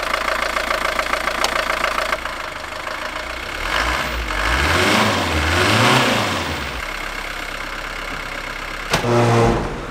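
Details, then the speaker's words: 1960s Mercedes 190D (W110) four-cylinder diesel after cooling-system repair, idling while coolant is refilled: steady, slightly rattly idle with one brief rev midway, running even, nothing abnormal; normal idle. "Allez, bref, hop, démarrage. On laisse tourner, je remplis au fur et à mesure, tout ça, tout ça."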